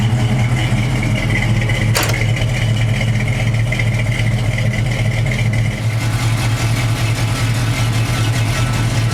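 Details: Warm 1991 Chevy K5 Blazer V8, recently fitted with a new Stewart high-flow water pump: deep, even rumble holding steady with no knocks or misses; normal warm idle.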